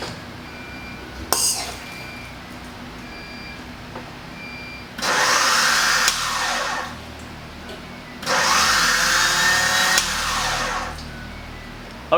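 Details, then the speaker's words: 1988 Honda CRX Si first start attempt after restoration with new battery: two bursts of high free-running whir, engine not turning; owner suspects starter Bendix not engaging the flywheel, starter then swapped for another. "it sounded to me like the starter wasn't uh engaging it was spinning around but it wouldn't engage inwards i guess they call it the bendix maybe"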